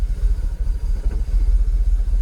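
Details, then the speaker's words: Jaguar XKR (X100) after fitting genuine used Denso coil packs on bank 1: deep, lumpy idle that swells and dips unevenly as it drops from closed to open loop, with restricted performance and pending multiple-misfire codes. "oh no open loop fault look it's just come up oh look restricted performance now something's just happened to go from Clos Loop to open loop"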